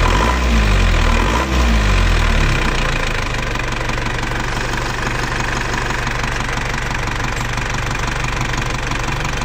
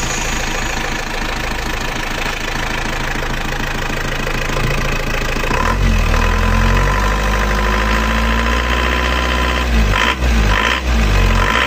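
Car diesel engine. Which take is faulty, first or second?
second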